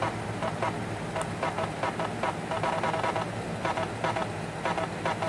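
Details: Floppy drive in a Dell Latitude LM laptop reading while installing Windows 3.0: uneven bursts of buzzy seeking and stepping, about two to three a second; floppy drive noise, cause unclear.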